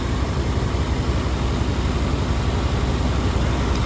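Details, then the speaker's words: 1992 Chevy C1500 350 TBI V8, original engine, Flowmaster FX exhaust with slight leak at flange and exhaust touching; after new fuel injectors cured surging and bogging; deep steady idle, no hunting, revs up well; normal idle. "Yeah you can see it revs up good now. It's got a little exhaust leak down there by the flange"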